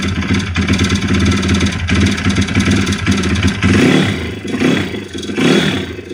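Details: YX-1 160 four-stroke single revving up and down after a full teardown: a ragged, floating clattering knock that comes and goes. Valves adjusted; small piston-pin play, no conrod or camshaft play, but the cam slipped out easily with its bearings; slight ringless piston play in the bore. Source unknown.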